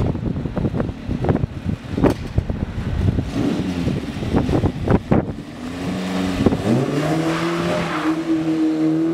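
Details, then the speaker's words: Mk1 Fiesta XR2 with Jenvey throttle body and Omex 600 EFI, after remaking the inlet manifold and mapping by laptop, driven in snow: road thumps, then the engine pulls smoothly with pitch climbing steadily, no hesitation or misfire. Now runs much better. "yeah that's so much better yeah it got there in the end"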